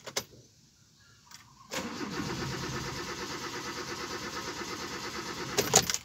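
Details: 2010 Kia Rio, check engine light blinking: starter turns the engine steadily for about four seconds but never catches; crank no start, a burnt component suspected as the cause.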